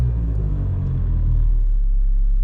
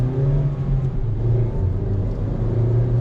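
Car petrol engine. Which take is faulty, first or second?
first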